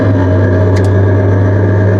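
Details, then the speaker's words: NB Miata with a salvaged cheap aftermarket exhaust lacking a rear hanger hook, heard from inside the car: steady low engine drone with a metallic buzz as the exhaust rattles against the underbody cradle; exhaust otherwise slightly raspy. "Yeah, that's loud. That's bad. Without that, I bet you it'd sound perfectly fine. Probably. But yeah, it's just that exhaust Right underneath us. Rattling away."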